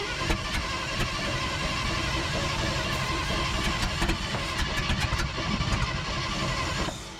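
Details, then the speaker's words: 1970 International Loadstar truck engine, previously locked up, first firing after fixing a ground at a loose bolt; something shot up through a gasket. It fires and runs unevenly for several seconds with a ragged exhaust note, then dies; rough running. "she is not very happy now I said we're just going to get a running real quick just so I could show you guys and that being said she's not ran yet but she acts like she kind of wants to so that's good enough for me"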